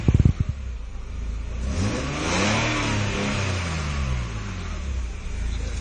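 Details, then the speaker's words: Nissan Skyline revving after exhaust manifold gasket work, switchable exhaust valve now opened so both exhausts run: deep, boomy note rising and falling through throttle blips, smooth and even, no misfire or rattle; slightly deeper than valve-closed, normal revving. "And there's both of them running now. Sounds a wee bit deeper."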